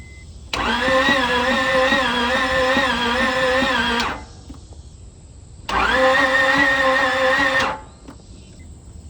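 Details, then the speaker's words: No-start car with a new battery cranks slowly and unevenly in two long bursts, with only one cylinder firing. Compression reads zero; owner suspects the valve train, not overheating, as coolant is still full. "you might have noticed in the video when it's cranking over there's one cylinder that is firing I don't know which one it is but it's obviously not enough to run the car"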